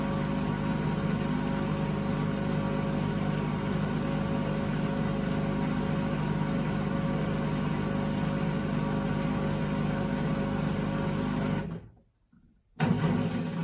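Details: 2012 Beko WMD261 washing machine on spin and drain, pump draining fine: steady low rumbling drone through the spin, then briefly cuts; previous owners said it became unbearably loud to use, pointing to worn drum bearings.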